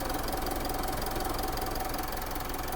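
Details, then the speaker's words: Diesel Mitsubishi Montero idling after repair, earlier noise gone; steady even clatter, no heavy knock, runs smoothly and quietly; radiator not working, not to be run long; normal idle. "Ayun, umaandar na. Wala nang ingay. Pero wag mong pagtagalin. Hindi gumagana radiator mo. At least wala na ingay."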